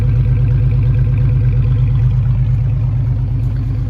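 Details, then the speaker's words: Small 200 inline-six started up: smooth, even note with a steady low rumble and no knocks or misses; healthy engine, runs good. "it runs good sounds good it didn't get low on oil I made sure to stop it or riy and grab some it sounds really good for a little"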